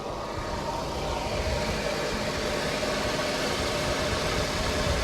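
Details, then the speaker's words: Infiniti G37S sitting untouched about two years, cold 20°F weather: steady idle with a hissy whooshing wash and faint hum that changes when AC is switched on; suspected AC compressor, not confirmed. "Oh yeah. I think that's definitely the AC compressor. See how it changes when you cut it on and off?"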